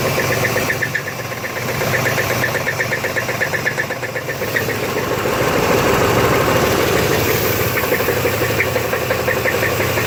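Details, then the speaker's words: 1991 Chevy S-10 with V6, just bought, idling with a sharp, regular knock about four per second over the engine note; owner unsure whether flywheel or engine, drove it home a few minutes. "it's my 91 chevy s-10 it has a v6 engine and i just bought it got steel on 300 for this has a knocking noise on and i was wondering if anybody home for you to jump my favorite guy cuz it helped me find out list and knocking over"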